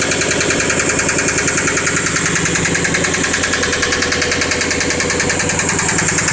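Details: 1998 Subaru Impreza GC3 EJ16 flat-four at 250,000 km, often revved to redline, idling with a steady, heavy knock about twice a second; the engine is blown.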